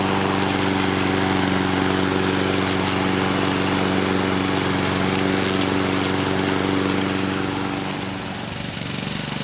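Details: 2014 Husqvarna HU700F self-propelled push mower, Honda GCV160 engine, after a carb clean: steady, even single-cylinder drone at constant speed with no misses or surging; runs cleanly and sounds healthy.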